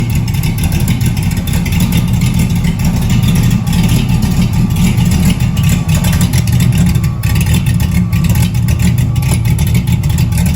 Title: Cammed out but has a exhaust leak 🤦🏾‍♂️